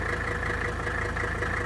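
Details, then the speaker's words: 1983 Mercedes-Benz 300D 3.0L inline-five turbodiesel, warm, idling after a refuel; even, rapid diesel clatter over a low steady idle with no misses or knocks. Healthy normal diesel idle. "hopefully you can hear me over the clattering of a three liter inline five diesel"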